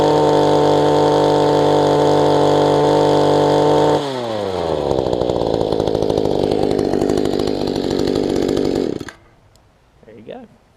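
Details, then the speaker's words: Mantis two-stroke tiller after installing a kill switch, securing the loose engine and tweaking carburetor low/high adjustments; now idles (didn't before), holds a steady buzz, revs up and down cleanly, shuts off; slight rock remains; running normally. "Is working okay. So it's not trying to come up. I know it's got a little bit of rock to it, but I honestly don't know what I could do better in that situation."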